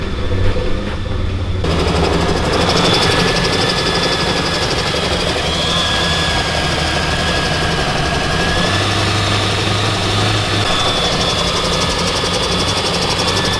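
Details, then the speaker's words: Mitsubishi Evo IX first start after build: engine runs well but holds a fast, steady idle well above normal with busy clatter, dropping on throttle then rising again; owner suspects a bad vacuum leak. "So the car car is running good, it sounds good, it's just idling really, really high, and then you hit the gas a little bit, it'll come back down and then go back up. It sounds like a really bad vacuum leak somewhere, so I'm trying to chase that down."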